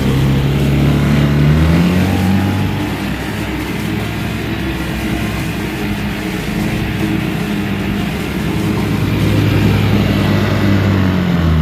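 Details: 1963 Evinrude 3 HP outboard idling with the cover off after the sticking carburettor float needle that left the bowl dry was fixed; small motor putters at about four beats a second, fairly steady with gentle rises and dips; normal idle.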